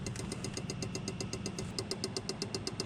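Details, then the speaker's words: 1991 Ford Scorpio 2.9 V6 Cologne, long stored and not starting, ignition on with fuel line opened: fast regular ticking pulses two or three a second over faint hum; fuel pulsing out, owner suspects faulty fuel pump or electrical problem. "I am suspecting that there is really something wrong with the fuel pump we did see some fuel coming out but I think it's it's like pulsing you know"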